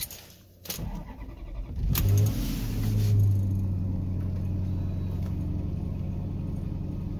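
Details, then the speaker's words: 2007 Maserati Quattroporte 4.2L V8 (M139), after cam cap machining fix for variator noise, cold start after sitting overnight about 24 hours: short crank, catches and settles to smooth even idle, no rattle; noise completely gone. "no noise the issue is completely gone"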